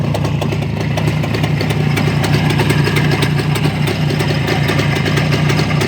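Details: Crisp, even two-stroke popping at a steady idle with clean revs and no knocks or rattles on a black ČZ motorcycle after engine repair; engine running healthy.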